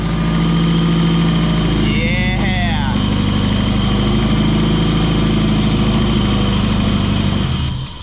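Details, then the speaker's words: Nissan 180SX with freshly installed engine, first start, harness unfinished: loud steady idle with hissing roar over the engine beat, sounding underwater; intake leak because the idle air valve is open to atmosphere. "like you got some gnarly intake leak though oh really"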